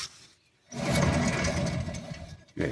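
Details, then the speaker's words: VW AP 1.8 engine in a Santana: with the engine shut off, a low steady roar from the wheel area; the bearing is worn and must be replaced, and replacing both sides is recommended. "aí agora esse rolamento aqui tá roncando roncando mesmo ó ó o"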